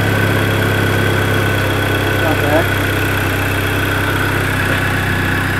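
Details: Car with manual clutch, cold start and idle just after replacing the failed clutch slave cylinder and bleeding the clutch: steady, even idle, smooth low hum, no knocks or misses; engine healthy and settled.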